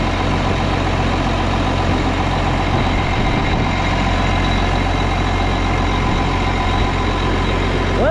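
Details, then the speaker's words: Case 305 tractor diesel after replacing the exhaust manifold gaskets: steady, even idle with a clean beat and no ticking or puffing at the manifold; exhaust leak gone, runs pretty good. "So far, sounds pretty good. No more annoying exhaust leak. Well, guys, runs pretty good."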